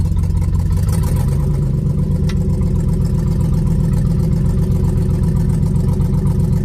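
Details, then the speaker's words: 1967 Chevelle, budget-rebuilt engine run about 10,000 miles since new rings, recorded from inside the car: heavy low idle with an uneven, loping beat; owner suspects a burning or leaking valve on one side plus a massive exhaust leak ticking when cold, unconfirmed. "I can hear a t t t because it's got a massive exhaust leak. So I'm pretty sure it's on this side, but it's got I'm pretty sure it's got a valve that's starting to burn or is leaking,"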